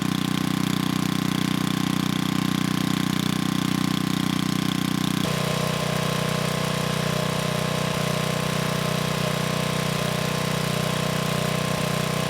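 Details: 1987 VoltMaster 4,000 W generator, 8 hp Briggs & Stratton flathead, after compression repair, running better once choke was sorted. Steady even single-cylinder drone; note settles lower midway as load comes on, no misses.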